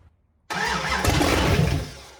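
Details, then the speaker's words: First start of a freshly built 408 cubic inch stroker Chrysler 360 Magnum V8 in a project shop truck: catches sharply and roars for about a second, even and strong, then settles; clean, healthy fire-up. "But this thing, the 408 cubic inch stroker Chrysler 360 Magnum, sparked to life, and it just sounded amazing."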